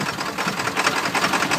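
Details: 1995 Ford F-250 Powerstroke diesel with a failed glow plug relay, cold, started on ether after long cranking: fast, uneven sharp clatter over a rough idle, loudness pulsing irregularly just after firing.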